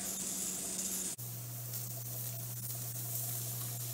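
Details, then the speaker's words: Pressure canner of potatoes with a weight regulator, building pressure just before the jiggler starts rocking. Steady steam hiss over a low hum, sound changing right before it starts. Normal pressure build-up. "any second now that thing's going to start jiggling up the pressure according to the gauge you can hear the sound change right before it starts"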